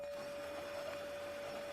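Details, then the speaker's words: Xbox 360 console: the disc spins with a steady whirring hum and a constant thin whine but never settles into reading, so the disc fails to load. The eject button only makes the power light flash with a hum inside; a mechanical fault is suspected. "bạn có thể nghe thấy tiếng đĩa quay trong bảng điều khiển nhưng đó là lúc đĩa kết thúc và quá trình tải không diễn ra"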